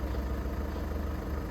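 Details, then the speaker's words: Cold diesel car with a DPF warning light: a 2001 Lancia Lybra 1.9 JTD is mentioned, and the title names an Audi A1 1.6. A low, steady idle with faint uneven pulsing and an unpleasant noise of unknown cause. "It's a very unpleasant sound."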